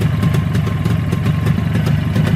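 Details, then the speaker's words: 360 two-stroke engine, JAWA/ČZ motorcycle, restarted for a short run before strobe timing checks; quick, steady popping exhaust with light mechanical clatter at an even idle; running beautifully. "ну и как двигать камеру работает вот движок работает просто красота ну просто красота"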